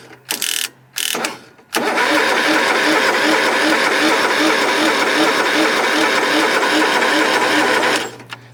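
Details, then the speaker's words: Cub Cadet Super 2082 riding mower with swapped engine, sat at least two years: steady starter churning about six seconds, no firing pulse. Cranks but won't start; sounds like no fuel reaching it, unconfirmed. "yeah it sounds like there's no fuel getting to it"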